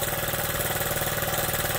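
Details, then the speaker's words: Honda Z50 after a new carburetor and new spark plug: the small single ticks over at a steady, even putter with no misses or stumbles; a clean, healthy idle. "so when I put this new one on here, boy, that thing runs good, huh?"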